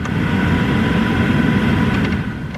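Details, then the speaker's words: Dodge Charger after HVAC blower motor replacement, engine on: steady airflow rush with a smooth fan hum and no rattle or squeal; much quieter than before, normal blower operation. "Alright, just for a comparison, I'm going to go ahead and turn the blower motor on. Here we go. 1. Oh, that's much quieter."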